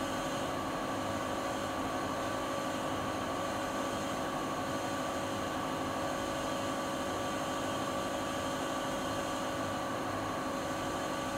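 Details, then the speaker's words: Siemens iQ300 WG41A1X1TR washing machine, spin cycle at top speed (13-minute spin, about 72 dB): steady high whir with constant motor tone and airy rush, no thumps or grinding; not silent but normal spin. "Sizler de makinenin ses seviyesini görmüş oldunuz. Fakat şöyle söyleyeyim, makine sıfır sessiz değil."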